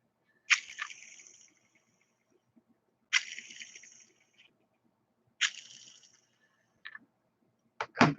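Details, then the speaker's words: RC Drag Race Concepts rear-motor transmission for an LCG Slash, hand-spun: three dry, rattly high whirs fading as it slows; gear noise, cause unconfirmed, suspected slightly misaligned molded gear teeth or stock bearings. "Now it could be some mold slight differences where the teeth aren't quite lined up in all the gears, adding that extra noise. That could be just stock bearings making that extra noise."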